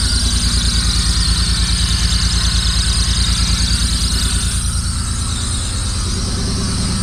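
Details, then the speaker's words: 1985 Pontiac Fiero first start in 19 years after fuel tank cleaning and new fuel pump: steady idle with a thin, constant high whistle on the engine beat; small vacuum leak. "little vacuum leak a little Belcher"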